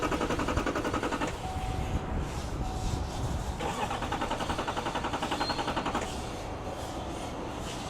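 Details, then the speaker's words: Duramax diesel truck after a shade-tree CP3 pump conversion, never right since: starter churns with a steady chugging rhythm for many seconds before it finally fires; long crank, hard start, cause not yet found. "Oh, there it goes. Okay. So it's really, Yeah, that's a long crank time."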